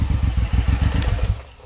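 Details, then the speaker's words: Suzuki M109R just back from the shop after an oil change, new clutch plates, an idle tune and a surging complaint: loose, lumpy idle with uneven pulses that then fades out; owner thinks the idle still needs adjusting through the computer. "because the Idol I think is needs to be adjusted like they adjusted the Idol but I need to adjust the computer"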